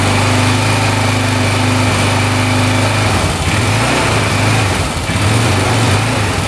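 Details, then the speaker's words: 2004 Honda 400EX quad that would not run, first start after valves checked and set correctly: loud rough uneven single-cylinder running with knocking, no smoke yet, won't idle or rev out; engine knock and poor idle. "So far, no smoke, but it sounds like it's knocking pretty good, doesn't it? Doesn't sound the greatest. Um, and it's not idling or revving out."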